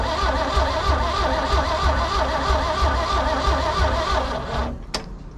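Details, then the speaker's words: Engine, in neutral, cranked by a VTOMAN 2000A jump pack: steady crank about three turns a second for roughly five seconds, then sags and slows as the pack drains, no firing. "it held held a good long crank and then it slowed down"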